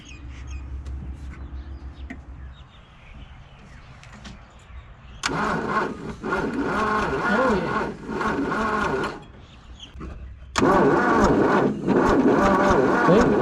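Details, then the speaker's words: 1963 Plymouth Valiant AP5, 225 slant six, off the road since 1985; spark confirmed at number two plug, but two sluggish cranking bursts at about three and a half beats a second never catch; battery run down. "that'll do so we've got Spark but that battery's had enough winding"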